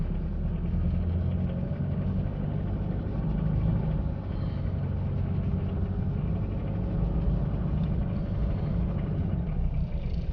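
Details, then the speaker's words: Diesel Mitsubishi Pajero automatic in normal D, accelerating under load: steady diesel rumble gaining speed with smooth, barely noticeable upshifts, no high-rpm sound, no slipping or clunks; normal shifting. "गाड़ी आराम से स्पीड पकड़ रही है। ली पे है अभी गियर, ये देखें। गाड़ी गियर आराम से चेंज कर रही है और गाड़ी की आरपीएम पे हाई की आवाज़ नहीं आ रही।"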